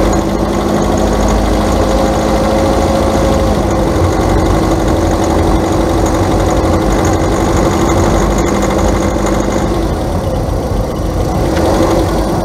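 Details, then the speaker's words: Engine idling: fast, continuous light clicking (clic clic) from the top end, unlike the clac of a worn CV joint; maladjusted valve lifters, engine problem; valve lifter ticking. "bien amigos el segundo cascabeleo o que nosotros podemos decir que se escucha como un cascabel usted lo puede oír que es más continuo el otro hacía clac clac clac clac en este es más continuo clic clic clic clic clic"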